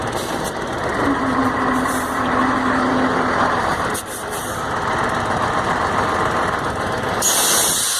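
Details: Mercedes-Benz MB 1634 diesel truck road test after differential reassembly: steady road noise and engine drone at speed, no whine or clunk from rear end; earlier roar when lifting off the accelerator is gone, differential normal.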